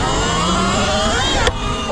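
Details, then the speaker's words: E Ride Pro SR electric dirt bike (25 kW): the motor whine falls off, then one sharp pop as the regen thumb throttle is pulled fully at speed and the rear skids; cause unclear. "Oh, that didn't sound good. Something popped and my rear end started skidding out."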